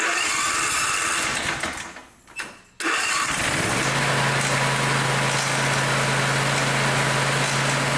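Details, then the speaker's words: John Deere engine with a broken-off spark plug, run after an extractor attempt: it settles into a harsh metallic rattle of about four knocks a second. Suspected old spark plug pieces; a head pull is possible. "that noise that I heard that could be pieces of the old spark plug"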